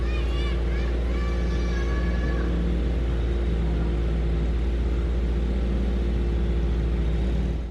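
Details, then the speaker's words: Swapped H22A Honda Prelude (5th gen) race car after replacing spark plugs and wires (distributor cap already new), oil-fouled plug misfire fixed: even, steady running with smooth low hum, no stumbles, firing cleanly; valve cover gasket leak still to be fixed. "so there we have it folks we fixed the misfire problem"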